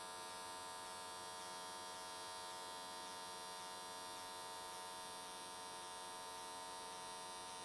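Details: AC TIG on an S13 catch can at 95 Hz square wave, settings changed for smoother welding: steady, even buzz, no crackle or sputter. Normal, well-set stable arc; whole way around in one session.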